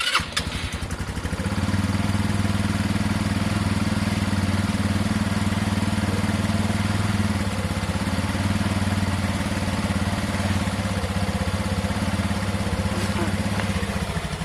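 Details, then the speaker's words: Project bike showing 548 mileage, first start after hooking up a battery: short crank, then an even, steady twin idle with no knocks or rattles. Sounds healthy enough. "first i've heard it guys um at first glance it sounds healthy enough"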